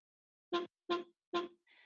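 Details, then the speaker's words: SmartChart dental charting software voice command: three short bright chime notes at the same pitch, then a softer fourth, confirming the spoken command was recognized; a failed recognition gives a separate beep. "ecause I'm getting an audible sound saying that my the command is being recognized if something fails to be recognized you get a separate audible beep"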